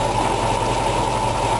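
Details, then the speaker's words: 1965 Ford Mustang GT, 289 V8, 4-barrel carburetor, 4-speed: timing advanced from 6 to about 12 degrees BTDC, RPMs rise; steady even smooth idle, no knocks or stumbles, owner feels it runs a little better. "You can hear the RPMs coming up. Seems to run a little better there for me."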